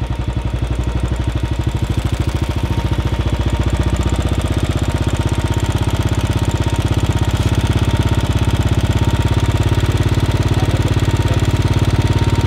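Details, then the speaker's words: Royal Enfield Bullet 500 Standard (UCE 500, UCD33 carburettor), idle screw turned up to about double RPM before mixture tuning: fast, even single-cylinder thumping at raised idle. "so now I have doubled the RPM and you can hear the engine uh sound now what you have to do is make make the engine as lean as possible"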